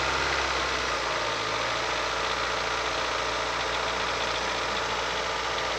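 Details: Ford Fusion with the 1.4 Duratec engine at 118,000 km, held near 1800 rpm: a dull, rapid knocking under a busy, rough engine note, clearly audible from 34 seconds in. Valves are suspected.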